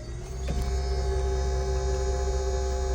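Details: VMP ice tank electric coolant pump on supercharged 5.0 S550 Mustang, switched on via in-car switch (works with car on or off): brief click then steady low hum with faint constant whine; pump runs smoothly and evenly.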